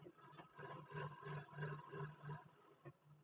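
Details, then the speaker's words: Sewing machine after cleaning two dirty areas: soft, even ticking about three beats a second with a light whir; runs smoothly, far quieter than the loud noise before. "তাহলে তোমরা বুঝতে পেরেছ নিশ্চয়ই প্রথমের আওয়াজ এবং এখনকার আওয়াজের মধ্যে কতটা পার্থক্য কতটা আওয়াজ কমে গেছে স্মুথলি ভাবে কিন্তু মেশিনটা চলছে"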